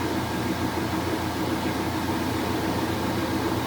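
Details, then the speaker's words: Vintage three-speed Maytag washer in rinse/spin: steady, even hum and rush of the drum spinning with no knocks or scraping; spinning normally. "so that's what a real washing machine looks like when it spins y'all"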